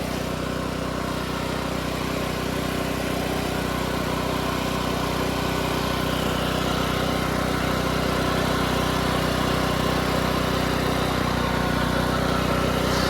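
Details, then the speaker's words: Harbor Freight Predator 8750 generator with no AC output, before replacing brushes and voltage regulator; starts easily with choke and runs at an even, steady governed drone with no surging or knocks; engine runs normally. "all right well it starts up pretty easily [Music] runs pretty smoothly however we don't have any light"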